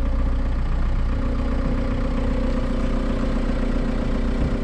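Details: Junkyard VW MK4 Golf TDI wagon; steady diesel clatter at idle, about three knocks a second, even and without misses; runs fine, though the loose tensioner probably needs replacing.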